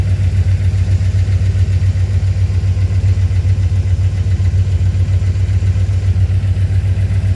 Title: Chrysler 5th Ave lifter tick and manifold gasket leak. Fixing ASAP